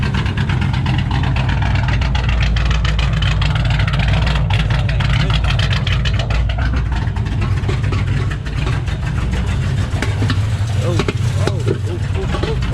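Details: 2008 Ford Mustang GT V8 after new spark plugs and fuel injectors; passenger-side misfire that began while reversing. Deep idle with uneven stumbling beat and rough rev. Later traced to a vacuum leak from a cracked cold air intake at the PCV tube.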